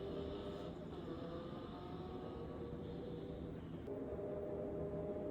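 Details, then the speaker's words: Motorcycle from a questionable restoration, handlebars hitting tank and clutch lever angled too high, engine running: steady, even note, constant low drone, no knocks or misses; sounds decent, runs okay. "I mean, it runs. It sounds decent. It sounds like it's running okay."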